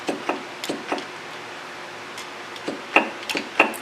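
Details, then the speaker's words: SU carburettors during jet centring, piston-drop click test with jet raised and lowered: light sharp clicks a few per second; front carb sounds the same, rear carb click differs, so its jet is off-centre and needs re-centralizing. "All right, so it is a little bit sharper. It says if a sharper sound is achieved, centralize the jet again until you can get about the same amount of sound raised and lowered."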